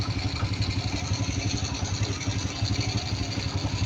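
Even putt-putt idle, roughly four beats a second, steady with no hunting or misfire; the carburetor is idling cleanly.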